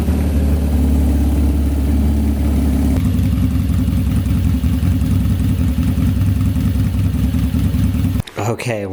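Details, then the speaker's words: First start of a custom-built GS750 four-cylinder cafe racer with its new handmade exhaust, after a hydraulic clutch swap; carb jetting is still a guess pending tuning. Deep, loud burble settling into a steady beat, no knocks or misfires: normal running. "wow, it all works and we got it to run, which is sick. Sounds so cool with this exhaust."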